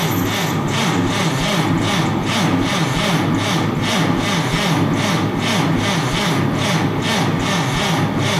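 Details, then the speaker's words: Forklift engine cranking on first start attempt after fuel system sat dry for months, new fuel filter fitted: sluggish, even slow cranking without catching; battery obviously low, to be put on charger, probably overnight. "Sounds like we're going to charge the battery. All right, gang, battery is obviously low."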